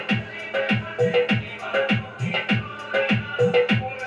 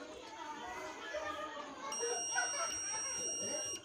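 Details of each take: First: Stranger PBT701 amplifier after shorting check and repair, played with MP3 music at raised volume through a connected speaker: loud, full sound with clear beats and no crackle, hum or distortion; clean amplifier output. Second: Stranger PBT 701 amplifier with a previously burnt, rewound transformer, multimeter in continuity mode across the bridge rectifier: steady two-second high beep, so the first rectifier diode is shorted; the second rectifier reads normally.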